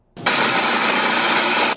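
A short, sharp high-pitched hissing whir with little engine rumble beneath, typical of a worn belt tensioner pulley.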